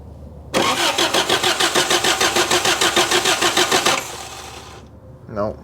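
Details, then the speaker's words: 1983 Toyota 4x4 pickup, 22R 4-cylinder, sat at least 10 years: even cranking about three beats a second for several seconds, never catches; fuel pump pulls no fuel and no spark, pump to be replaced. "no nothing absolutely nothing fuel pump is bad as well as not getting spark so we got a few things we need to figure out"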